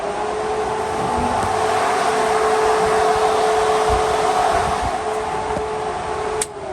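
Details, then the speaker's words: Electric cooling fans on a 1981 Camaro race car, just rewired, first power-up after the external kill switch: both fans give a steady, even whir at constant pitch for about six seconds, then spin down; both working, normal. "both fans working positive sign"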